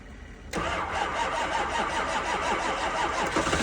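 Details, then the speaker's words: 2005 6.0 diesel, cold start at 15°F in New York on two batteries plus a jump pack: steady rhythmic cranking, about three pulses a second, without the engine catching and running up. It almost starts but will not. "And that's that, bro. They don't always start. That's 2 batteries and a jump pack. It almost went. We're close."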